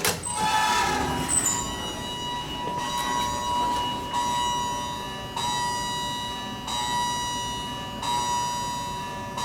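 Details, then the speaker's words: Large hydraulic elevator at Founders Hall, UTD, Richardson, TX, with an older Innovation modernization: once the indicator lights up, the electronic arrival chime dings over and over, about every one and a half seconds, before stopping after several. Chime glitch. "This elevator right here has a chime glitch that it kept on dinging repetitively once the indicator lights up."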